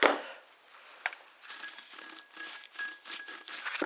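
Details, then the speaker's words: Ford Expedition 4.6L with a bearing-like squeak when running, tensioner pulley removed and spun by hand: short gritty, rasping whirr with a thin whistle. Worn pulley bearing. "I thought I just take it apart I might actually have a bearing for this pulley but I stuck my finger in there and if you can listen to this that barring a shot"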